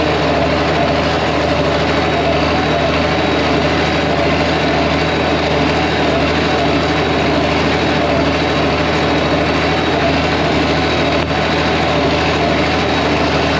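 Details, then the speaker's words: 1966 IH 1206 Standard diesel tractor, warming up after a head gasket repair with a rebuilt head: deep, steady, even idle with no knocks or misses while the water temperature rises. Normal idle. "it just it happen it sounds good kind of waiting for the that water temp starting to come up"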